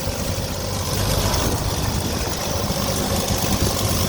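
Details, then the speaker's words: 1982 Ford F-150 after new carburetor, new valve cover and new fuel pump: steady, even idle with low rumble and no valvetrain ticking; sounds much better, normal idle. "but it looks a lot better and man that sounds a lot better"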